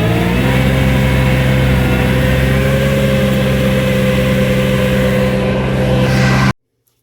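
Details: New Vermeer SC1052 stump grinder engine under heavy grinding load: strong steady drone at even revs, no knocks or misses, then clean shutoff; passed hard torture-test use, healthy.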